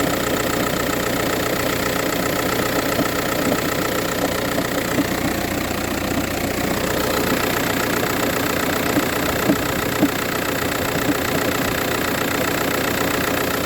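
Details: VW Touran 1.9 TDI diesel, cold start idle, morning only: hard fairly regular knock about two per second over diesel clatter; no issues when driving or changing gears; cause unknown.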